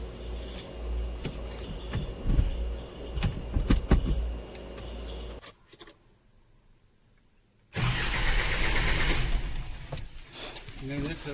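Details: Isuzu diesel truck no-start with good battery: steady starter churn about five seconds, no firing; the engine stop motor is suspected of still holding fuel shut off, its connector then checked for current.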